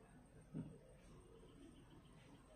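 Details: Relay used as a switch to turn on a light bulb: two crisp, isolated clicks about two seconds apart in a quiet room as the relay pulls in and drops out normally.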